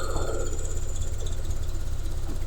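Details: Single-cylinder scooter with a universal piggyback injection controller fitted, just started while setting fuel: low, steady putter with an even beat and no misses or knocks; idling smoothly and healthily.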